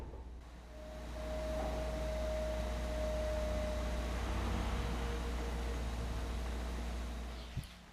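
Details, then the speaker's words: New refrigerator, just installed after a couple of hours unplugged: a thin, steady whistle rises over the low hum right after closing either the upper or lower door, holds a few seconds, then fades; cause unknown to the owner. "eu abri a porta aqui para mostrar PR vocês na hora que eu fechei ela fez o barulho de novo eu não sei como é que que desgrama é essa que barulho chato"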